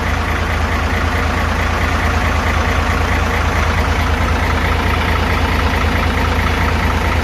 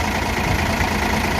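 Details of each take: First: Hino FG8J truck, J08E six-cylinder diesel, 600,000 km, valves never adjusted, idling before adjustment: steady loose top-end clatter; clearances up to 0.50-0.60 mm vs 0.30 intake/0.45 exhaust spec; high fuel use, poor power. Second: Hino J08 truck diesel at 600,000 km idles smoothly and quieter with a steady, even low rumble and no tapping, after first-ever valve adjustment from far-over-spec clearances (intake 0.30, exhaust 0.45 mm).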